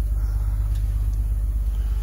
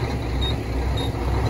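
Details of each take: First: Auction diesel truck with what looks like a freshly installed turbo and new hose, started right up: low steady rumble, even beat, no knocks or misses; healthy idle. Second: Auction diesel truck, about 1.4 on the odometer, at idle: heavy uneven shaking with brief sags as if about to stall, then recovering; rough idle, cause unknown.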